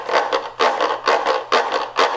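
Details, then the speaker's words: Washing machine transmission only half shifting, from a failing actuator or weakened shifter spring: harsh rasping grind in regular bursts about two a second; grinding from a partially engaged clutch. "you'll hear the horrible grinding noise if it's just a little bit"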